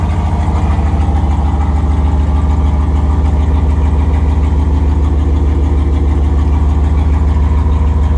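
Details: 5.2L Dodge Ram turbo build at first fire-up, exhaust only tack-welded: very loud, deep idle with a steady rapid puffing pulse, about 200 a minute, as exhaust escapes at unsealed tacked joints, an exhaust leak.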